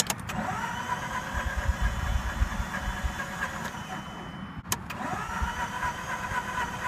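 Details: Mazda RX-8 rotary, previously shut off before warming up, on a jumper with low fuel: long steady starter whirr, engine spinning but never catching; cranks and won't start, probably flooded.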